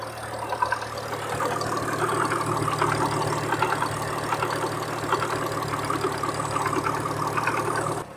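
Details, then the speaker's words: 1967 Ford Anglia 105E with a Mitsubishi 6A13TT engine, idling on axle stands and checked with a screwdriver held to the ear: light irregular rattle about once a second at the passenger-side front timing belt cover, no longer thought to be engine knock. "i placed it at various points around the engine and the only place i could really hear a noise and it was that sort of rattata"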